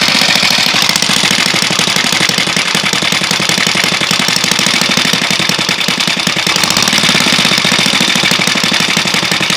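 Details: Alpha moped with a newly fitted piston kit and cylinder head, timing marks set, idle, pull and riding normal: hard, sharp metallic knock on every firing stroke, loud above the exhaust; cause unclear.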